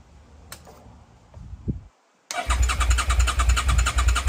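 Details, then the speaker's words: Rebuilt Suzuki SV650 with stock exhaust: a few weak cranking bursts, pause, then fires and settles into steady even twin beat; normal start, quieter than owner's previous exhaust. "Bike start ஆகிவிட்டது. எனக்கு இந்த exhaust அவ்வளவாகப் பிடிக்கவில்லை, ஏனென்றால் என்னுடைய முந்தையது மிகவும் சத்தமாக இருந்தது."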